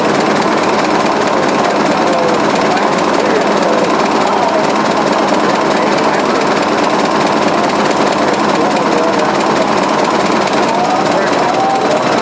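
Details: 1920s 45 hp General Electric genset, serviced after over 10 years unrun, governor being adjusted: loud, even clatter holding steady speed, no misses, surging or odd knocks; running healthy.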